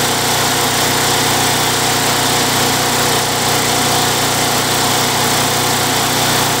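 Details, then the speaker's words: Craftsman Eager 1 mower, Tecumseh 92cc single-cylinder, bought non-running and dry, given a new recoil and fresh oil; surging treated with Mechanic in a Bottle. Steady, even buzz holding governed speed with no rise and fall; normal running, successful repair. "well guys it's running pretty good um I think that's a successful repair"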